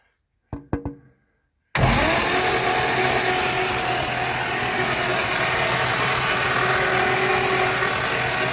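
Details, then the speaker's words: 1960 FB engine (old grey motor) for a 1961 ute, cranked over on a crude test setup to see if it turns: even starter cranking with steady drone, no heavy knocks or bangs; the bottom end sounds free, normal cranking. "well doesn't seem to be mad death knocks anywhere so that's step one"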